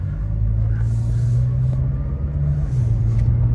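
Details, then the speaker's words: Honda with 219,000 miles, driving with a steady low drone; clean, smooth upshift from first to second with no clunk after the empty transmission was refilled with fluid. A slight clunk into third remains. "Oh, that was a smooth shift into second. But first to second wasn't the real problem. But those, that big clunking noise is gone."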